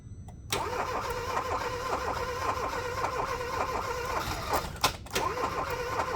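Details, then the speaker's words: 2015 Hyundai Accent that won't start: steady, quick starter cranking with no firing. Compression tested at about 138 and 87 psi against a 145 psi minimum, and a spark plug looked damaged. Cranking no-start from low compression. "This is how a car sounds when it has bad compression. It does not sound bad, but the compression is bad."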